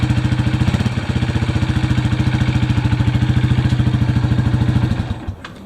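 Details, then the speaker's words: 2005 Honda CRF230F air-cooled single-cylinder dirt bike after carburettor cleaning and battery charge, previously not starting or running right: steady even thump at lively idle, no misses, then shut off; runs healthy. "today we got the Honda CRF 230 up and running charge the battery and whatnot and clean the carburetor"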